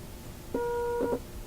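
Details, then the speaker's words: Philips Sonate BA581A valve radio, unplugged for a long time, audio-tone test across a physically big capacitor: a clean, steady mid-pitched tone at full strength that sounds just like a short; the test tone passes through the capacitor. "Sounds just like a short."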